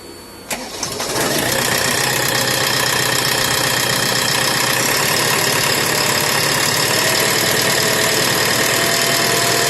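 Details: BS4 diesel engine cranks, catches and settles into a rough idle with a quick clatter of about four knocks a second; abnormal knocking, cause unknown.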